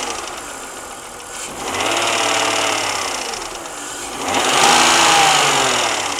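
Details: BMW 323i engine revved twice: fast, light metallic pinging from the top end. The cylinder head was just rebuilt and machined with a valve job, and the noise got louder after that. Cause unknown.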